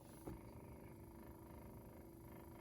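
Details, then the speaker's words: 1960s Westinghouse reel-to-reel, after spindle rim tires were lathe-shaved flat, playing with the spindle moved over: one small tick then soft even motor hum, almost silent, no clunking; quiet tape transport. "oh wow almost completely silent no clunking big difference isn't it"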